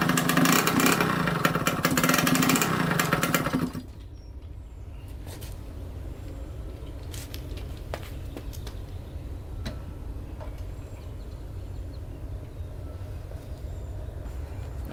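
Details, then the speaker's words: 1989 Yamaha YSR 50 two-stroke, sat for years: buzzes hard a few seconds then abruptly drops away and stays low, cutting in and out; exhaust pipe restriction suspected, not confirmed. "right so it keeps on cutting in and out like that we're going to try to take out the bolt that's holding the pipe on I wonder if that's kind of like restricting something"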